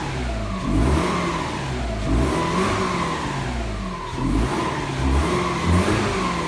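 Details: Subaru boxer engine rebuilt after piston pieces were found in the pan (cylinder 4 suspected, possibly from overheating), piston and rings replaced, check-engine light still on: smooth, even firing through throttle blips, no knock; healthy.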